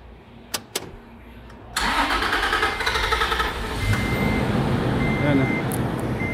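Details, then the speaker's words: Toyota Land Cruiser pickup, B6 engine, cranks but won't start: a couple of clicks, then steady cranking about three turns a second with no firing and no fuel coming from the hose; wiring or fuel pump suspected. "makin na pero walang gasolinang Lumabas din sa hose Oh wala sabihin wiring o kaya pil pump May issue"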